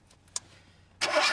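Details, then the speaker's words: VAZ 2106 with carburettor and LPG conversion, won't start when switched from gas to petrol: brief starter cranking with no firing at all; no petrol reaches the carburettor. "нет у вас ребята откуда Как вы можете говорить что не заводится если у вас вообще нет бензин не поступает"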